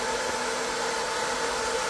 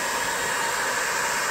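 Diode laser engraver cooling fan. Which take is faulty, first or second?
second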